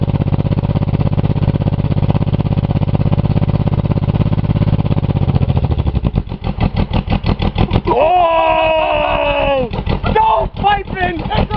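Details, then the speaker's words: Buick 3.8 (3800) V6 run after crash, oil pan and one connecting rod removed, hole in block, little oil: rough labouring engine with heavy irregular clatter about three times a second, faltering; seemingly threw another rod. "sound like it threw another Rod"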